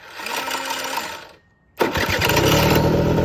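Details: 2006 Suzuki Quadsport LT80 two-stroke, after new AGM battery fitted and cleaned carburetor: short starter whirr, brief pause, then engine catches and settles into a steady buzzing idle; starts cleanly.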